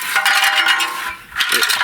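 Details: Big Bear 400 ATV stock muffler being shaken: metallic clinks and rolling clatter from the broken baffle loose inside the can, rattling like a box of rocks when riding; replaced with an aftermarket muffler.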